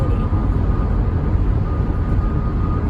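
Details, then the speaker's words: 2008 Toyota Prius cruising at 71–75 mph on the highway after a DIY hybrid battery repair: steady low road and wind rumble with no hum or rhythmic wheel noise, a smooth ride with healthy wheels. "we'll probably just hear the wind road noise is not that loud really it's quite a smooth ride feel smooth"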